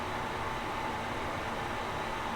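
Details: New 5-in-1 ceiling bathroom exhaust fan (190 CFM, humidity sensor, light, heater) just installed, replacing a noisy old one; steady airflow hiss with faint mid-pitched hum, running normally.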